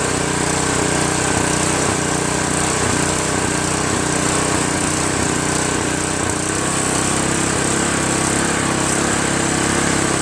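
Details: Craftsman OHV 5.5hp 26-inch dual-stage snowblower after replacing the surging carburetor with a $7 Chinese copy carb: steady single-cylinder chug at constant speed, no surging, runs smooth and even; normal running after repair.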